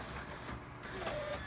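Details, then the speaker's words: Pioneer CLD-D604 LaserDisc player: thin whir with faint squeaks as the tray tries to load, the worn loading belt slipping on its spindle so loading needs assistance; belt replacement fixes it. "hear that whirring sound that's the belt spinning on its uh spindle so you assist this part and it finishes the loading process"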